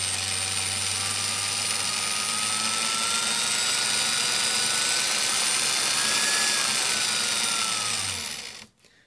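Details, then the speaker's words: Milwaukee 0435-1 3/8" 12 V cordless drill, circa 1995, after the broken, jumpy trigger switch was replaced, on an M14 battery via adaptor: whine climbs and falls smoothly with the trigger, no stutter. Normal variable speed operation. "It's a nice control on that. So, I mean, these old tools, and this was a thing that way back when with these Milwaukee tools, the variable speed was always better on Milwaukee tools than the other tools,"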